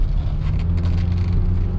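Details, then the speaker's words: 2010 Kia New Morning, 30,000 km, on a test drive: steady low road rumble with no clunks or rattles from underneath; suspension quiet, shifting and brakes normal. "하체 쪽에서 어떤 소음 하나 발생되지 않습니다. 하체 쪽에서도 소음 하나 발생되지 않고 있고요."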